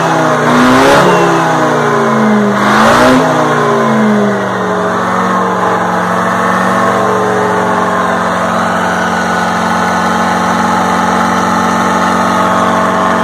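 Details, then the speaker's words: 1960 Detroit 4-71 two-stroke diesel, ex-generator engine said to have only test hours: two quick revs, then a steady, even idle with no knocks or misses; owner notes a little smoke at low rpm. "the motor looks young sounds young it does smoke a little bit at low rpms"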